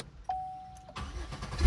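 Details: 2008 Chevy Impala started on a newly programmed aftermarket chipped key: a short chime, a brief crank, then the engine fires and rises to a steady run; normal start.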